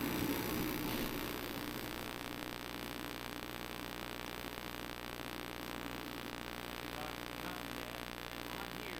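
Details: Mr. Heater Contractor Series forced-air heater on low, after a 20-second fan purge before ignition, in the cold: a steady, even roar of burner flame and fan with no surging, popping or rattles. Running normally.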